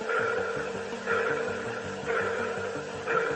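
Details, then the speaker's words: Boeing Starliner spacecraft speaker, heard via hardline audio from inside Starliner: regular ping about once a second, steady mid-high tone over low hum, like sonar; source of pulsing unknown. "it was kind of like a pulsing noise almost like a sonor ping"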